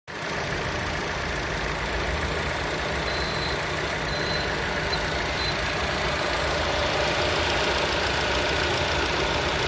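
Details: Lada Vesta with H4M engine and CVT at idle: a thin, faint high whistle comes and goes near the alternator or timing chain; the belt is suspected, but the cause is unconfirmed.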